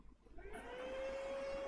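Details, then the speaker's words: Lenovo ThinkCentre M72e with no display and missing VCore and VCCSA: the CPU fan spins up to a loud, steady whir and stays at full speed instead of slowing down, indicating a motherboard fault. "as you can see the fan in here this one it's turning on at full speed let me disconnect it to avoid the noise"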